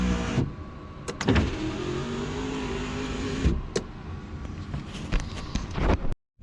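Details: Rover SD1 2600 door after adding extra sound deadening: steady low motor hum for a couple of seconds with a few clunks at the stops; the power window runs smoothly at even speed with nothing rattling.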